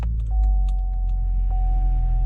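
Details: 2011 Chevy Cruze 1.8L Ecotec after water pump replacement, started after refilling coolant, heat on max to circulate coolant: low, even rumble with a faint steady tone, no knocks or misses; smooth normal idle.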